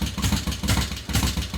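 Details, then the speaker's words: Harley-Davidson Road King converted from Magneti Marelli EFI to CV40 carburetor, first cold start on choke after pushrod install: lumpy V-twin idle with a sharp ticking knock in time with the engine; suspected stuck lifter, oil not yet flowing, lifters may need replacing. "Knocking a little bit. We've got to get some Got to get some oil flowing. We've got a stuck lifter, it sounds like."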